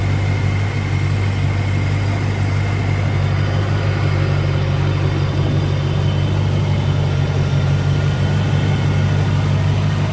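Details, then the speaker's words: Land Rover Discovery 1 3.9 V8, first start in eighteen months: a deep, steady, loud idle drone with a raw, open rumble, loud because an exhaust delete pipe is fitted. "well just so you know as well the reason it sounds like it does is because I've got the delete p"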